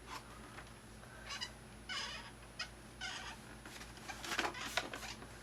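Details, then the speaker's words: Thrustmaster rudder pedals: high chirpy squeaks in irregular bursts each press; pedal moves left-right and rubs the plastic housing, pushing it away stops the noise, seen as a design flaw; lubrication only a temporary fix. "the pedal can move a certain amount left and right and where intersects with this and this my gets rubbed up next - it seems like noise yeah push it away gets rid of it that's kind of a design flaw it seems really"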